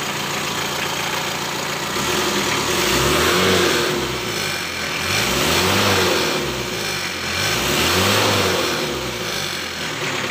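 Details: Mitsubishi L300 diesel after injection pump timing adjustment to cure white smoke, smoke now mostly gone; steady diesel clatter at idle with gentle slow rise and fall, no misfire or heavy knock; normal idle.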